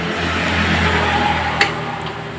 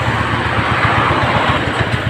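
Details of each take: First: Suzuki Spin scooter after the carburetor was reassembled: a few clicks, then it starts and holds a steady, even idle with no hunting or surging. Idle now normal. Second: Suzuki Spin carburetted scooter, before repair: the idle pulses unevenly, rising and sagging as if about to die, and sometimes revs up or stalls by itself. Mechanic suspects a scratched, sticking carburetor vacuum slide; intake leaks or hoses are also possible.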